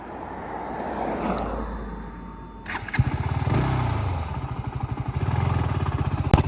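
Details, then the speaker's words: KTM Duke 200 in first gear: rough, rapid tuk-tuk knocking that comes in as throttle opens, fine at slow speed; suspected worn chain and sprocket, before chain kit replacement. "సాధారణ వేగంతో వెళితే ఏమీ జరగదు, కానీ శబ్దం చాలా భయంకరంగా వస్తుంది. నెమ్మదిగా వెళ్తే పర్వాలేదు, కానీ వేగం పెంచడానికి ప్రయత్నించిన వెంటనే ఆ శబ్దం వస్తుంది."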